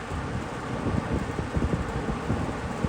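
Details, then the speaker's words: Mid-1980s Eastern Electric 20-inch box fan (rebadged Lasko) after a full motor rebuild, on high speed: steady rushing roar of air buffeting the mic, no ticking, rubbing or grinding; normal running. "And high. There it is. In its glory."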